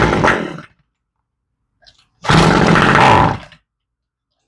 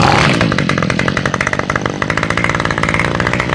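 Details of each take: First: Toro string trimmer with fuel left in over winter, primed and slightly warm: fires in short rough bursts about a second long then dies each time, from a varnished carburetor needing rebuild. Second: Toro two-stroke string trimmer after carburetor rebuild and fuel line replacement, started cold on full choke: picks up quickly to a crisp, steady buzz with even firing, revs up fast; running healthy.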